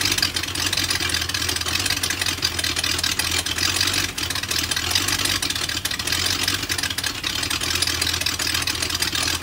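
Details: BMW M62TU V8 (E39 540i/E38 740i) idling with chain guides just replaced. Timing was lined up at start but then jumped while running. Loud, harsh, uneven pulsing idle; the raspy exhaust hiss is from the missing SAI aluminum pipes.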